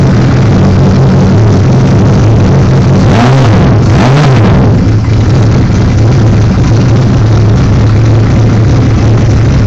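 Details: 1978 Suzuki GS1000 with Magnum turbo kit and aftermarket boost gauge: engine catches and settles into a strong, even run with a brief rev swell; normal start and run.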